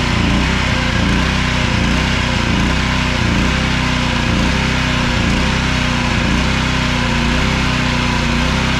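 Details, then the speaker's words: Small engine that runs three to five minutes then surges and dies: hunting up and down about once a second, uneven, starving for fuel; cracking the gas cap stops the surging, so the blocked gas cap vent is the cause. "all right you can hear it surge it's starting to run out of pool and then watch as i crack the cap and it will stop surging"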